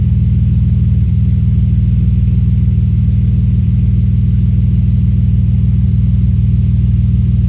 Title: Audi S4 B5 Misfire